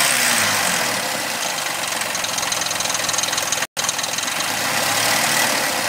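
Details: 2000 Suzuki Vitara V6 24-valve at idle; steady idle with busy, raspy top end and loose ticking patter about three per second; abnormal engine noise, cause not determined.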